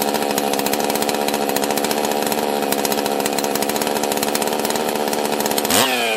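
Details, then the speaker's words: Husqvarna 261 chainsaw, first run after its carburetor was found seized, with a broken choke and stuck throttle: screaming high rev holds flat, then suddenly sags near the end; running erratically, cause not yet known. "it's running really weird so i'm gonna try to let you decide if you can figure out the problem and then we'll probably fix it on the next video"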